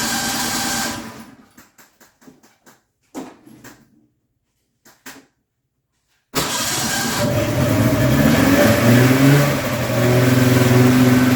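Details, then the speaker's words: Polaris two-stroke snowmobile, new fuel pump fitted, fuel squirted into carb: runs, then bogs and dies, refires rough, surging and bogging; owner unsure whether spark or fuel loss causes it. "bogged off and blew and died there. That is the problem I was having."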